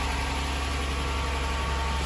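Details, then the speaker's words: Toyota Highlander 2GR-FE V6 just after engine overhaul for cylinder 1 misfire (P0301) and cold knock, first start; steady even idle with faint top-end tick, slightly noisy while oil fills lifters and cam phasers; healthy. "работает шумно пока час масло видео закачается на все кости сатаров муфты"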